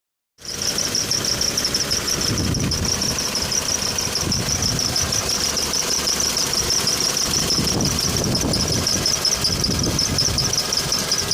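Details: Toyota Blade at idle, shifting between drive and park: thin high-pitched squeak pulsing about three times a second, cause unknown, present since about a week after purchase and persisting one week after a first attempted fix.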